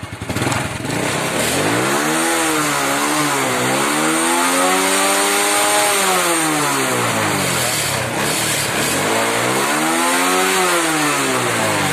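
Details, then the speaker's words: Honda Wave 100 after carb cleaning, new spark plug and air filter, fixing stumbling acceleration: revs climb cleanly and drop back smoothly through several blips, engine accelerates normally. "ครับก็เร่งได้ปกตินะครับ"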